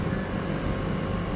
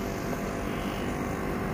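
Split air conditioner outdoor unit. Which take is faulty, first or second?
second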